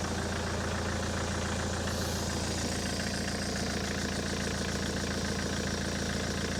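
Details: Ford S-Max TDCi 2.0 diesel (2010 or 2013) idling right after a fuel filter change and priming: a steady, even diesel clatter with no stumbling or cutting out; normal idle.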